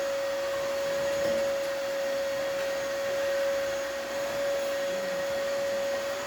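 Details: Gaggia espresso machine after pump replacement for zero pressure: steady, even mid-pitched pump buzz without sputter; pump working correctly and delivering water in post-repair test.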